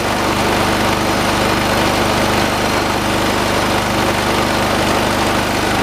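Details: 1986 John Deere 216 lawn tractor, 16 hp single-cylinder Kohler, carburetor being adjusted: steady loud thumping, shaky uneven beat, heavy vibration rattle; shaking considered normal for these engines; heavy vibration.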